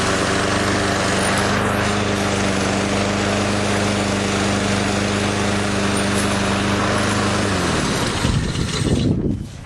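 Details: Craftsman self-propelled lawn mower after repairing its loose front wheel: a steady, even engine drone at constant pitch for about eight seconds, then it winds down and stops cleanly; healthy running.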